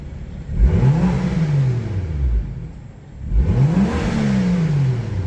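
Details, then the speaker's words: Crashed BMW M2 after reconnecting an engine wire: two throttle blips with smooth rising and falling revs and even exhaust note; now running on all six cylinders instead of five, drivetrain fault warning persists. "Um, now we're running on all six cylinders and not five."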